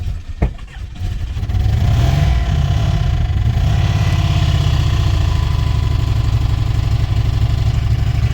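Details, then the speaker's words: 1994 Chrysler Town & Country van pulled from a junkyard, on its first start: it cranks, catches and settles into a lumpy, uneven idle with a loose rattle underneath, plus smoke and a sweet smell; owner suspects a head gasket or bad motor. "Runs like... I think she's bad. I don't think the motor's any good. That don't sound very good to me."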